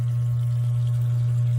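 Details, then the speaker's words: Sump pump kicking on after the breaker was checked and it was plugged in, float raised, water level dropping: smooth, steady low hum with no rattle, grinding or surging; float and pump working normally. "Plugged it in, you can hear it kick on. You can see it going down. So the float works good, pump works good."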